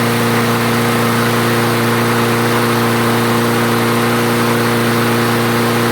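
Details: Craftsman self-propelled mower after the clogged carburetor jet was cleared, restarted with fuel and three primes: even, steady drone at constant pitch, no surging, stumbling or misses; normal running.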